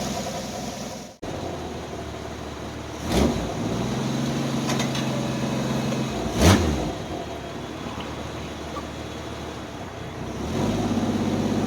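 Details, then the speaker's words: Carbureted Jeep Wrangler YJ pulled out of months of storage, jump-pack assisted after slow cranking: after a couple of blips it settles into a steady, even idle with no misses or knocks. It is purring smoothly, though the owner notes a small vacuum leak. "Look at that. Purring like a kitten. Like a kitten. There she go. Now she's smoothed out nicely."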